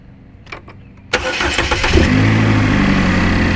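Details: 2012 GMC Terrain 2.4L Ecotec after timing chain and balance chain replacement for chain-wear noise: starter cranks briefly, the engine catches cleanly and settles into a smooth, even idle with no knocks or rattles.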